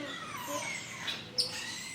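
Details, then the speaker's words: Hotel room door swinging open makes a thin, wavering, bird-like squeal as it scrapes along the floor. "When I opened the door, I thought there was a bird in our room because the door squeaks on the floor."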